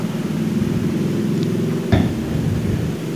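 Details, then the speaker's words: Yamaha Mio J scooter run with the timing/drive belt removed, sounding like a bad connecting rod: rough, uneven knocking over a low idle hum; suspected starter one-way clutch bearings rather than the con-rod. "saya lebih curiga ke pelor Stable Coba lihat dulu pelor starnya ada bermasalah enggak"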